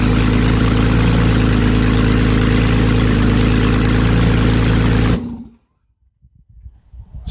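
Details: Replacement 3.8 engine in a Porsche 911 Carrera GTS 991.1, first start with no exhaust, no coolant and driveshafts unconnected. An even, fast, steady idle pulse with no misfire or tapping for about five seconds, then it cuts off. The engine starts and runs cleanly.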